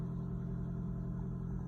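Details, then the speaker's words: 2015 Lexus NX300h hybrid just after an oil change with 4.4 L oil, petrol engine starting on throttle: steady low rumble with a faint even rattle; this start-up rattle is normal. "But listen, if you hear this loud rattling noise, it's normal. Yeah, that noise, that's normal."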